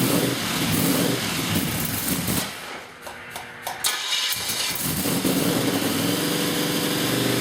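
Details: Newly built blown 355 Chevy V8, Weiand 6-71 blower, Holley 600 carbs, solid roller cam, target idle about 1,200 rpm at 12.8:1 AFR; cranks, dips, catches and settles to steady even idle, no misses or knocks.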